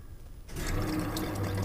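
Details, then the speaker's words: Truck with a brand new fuel pump that runs on brake cleaner but gets no fuel; fuel filter suspected, possibly low on gas. Key on, a steady low electric hum starts at once with faint gurgling behind it; pump primes and pushes fuel normally. "all right so it's working"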